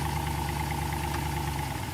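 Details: '66 Corvette, dormant 30 years, LS-swapped: even, low V8 idle with a steady beat after the newly fitted transmission is put in gear, with no clunks or slipping whine. Reverse and drive engage normally; trans being warmed to check level.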